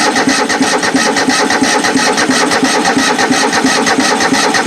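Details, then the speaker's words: Craftsman-engined riding mower (Toro-badged) not run in a while, battery unknown: steady strong starter cranking about three beats per second but engine not catching yet; owner adds a little gas. "Well, cranking over anyway. Get a little gas up to it, it may start."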